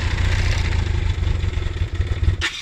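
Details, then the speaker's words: BMW K1200 motorcycle cranked with the internal in-tank fuel pump deliberately switched off. Starter churns with uneven low chugging for a few seconds and the engine never catches. Cranking with fuel starvation. "Now, to monitor your fuel starvation and to see what it sounds like to start, I'm going to do that."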